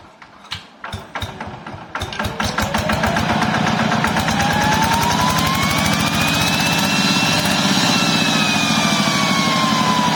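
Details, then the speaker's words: Yanmar TF105LM walk-behind tractor single-cylinder engine after a temporary fix for revving by itself and refusing to shut off (stuck or worn governor): it cranks, catches and settles into a steady thump with no hunting or surging, a normal idle. "นะครับหายแล้วนะครับก็ยามเลยนะครับว่าการทำวิธีนี้ก็คือแก้ปัญหาเฉพาะหน้านะครับ"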